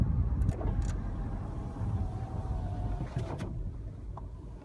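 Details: Audi A3 (8V), 6500 miles and 10 months old: faint steady mid-pitched brake squeal over low rolling rumble as the car slows.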